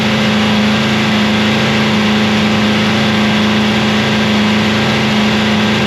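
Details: Free 327ci Chevy V8 after cam and lifter swap, held at raised idle for break-in; steady, smooth fast idle, even hum, no ticking or knocking. Normal running.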